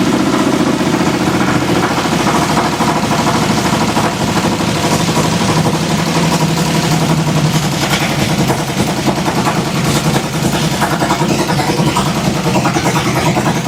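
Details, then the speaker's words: 1966 Ford Fairlane gasser with a 503ci big block based on a Ford 429 block, after sitting for years: a loud, lumpy but steady idle at a raised speed with no knocks or misses. "We're going to head gear back up because it is still stupid loud."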